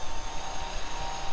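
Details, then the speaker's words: Crashed electric scooter, about 70% charge, third gear throttle test: steady clean hub-motor whine with soft rumble, no grinding or clicking; judged fine, though rear brake rotor slightly bent. "So the scooter seems to be working fine. I don't really think there's anything wrong with it. I think the scooter is totally fine."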